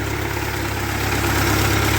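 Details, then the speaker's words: 1948 Ford 8N tractor warming up after rebuild, radiator hoses warm and thermostat open: a steady, even low idle with no knocks or misses. The exhaust manifold repair is holding and the engine sounds healthy. "maybe we got a good one here boys and girls the engine's warming up you can feel the radiator hols warm"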